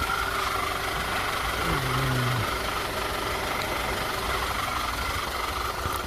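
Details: 2009 Audi A4 turbo after AMSOIL engine flush and oil change with 5W-40 synthetic: quiet, even idle with a soft steady hum, no ticking or knocking; engine healthy and settled.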